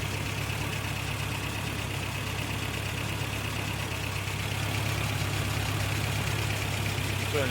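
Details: 1988 Toyota Pickup 22R, Aisin carburetor, after timing chain, water pump and oil pump replacement: even steady idle with low constant hum, no stumbles; earlier kept shutting off, now running smoothly.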